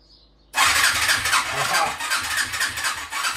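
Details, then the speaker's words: 1988 Suzuki 250 Quadrunner ATV just after a new carburetor was fitted: starter catches after a pause and turns the engine slowly and heavily, about three laboured beats a second; battery sounds lazy, suspected weak battery. "but jump back on the battery sounds lazy right now"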